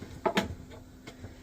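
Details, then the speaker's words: Caravan fridge gas igniter, battery refitted in the back: sharp, crisp ticks from the back of the fridge as the button is pressed; igniter clicking normally. "and then as you press it you should hear the igniter going at the back of the"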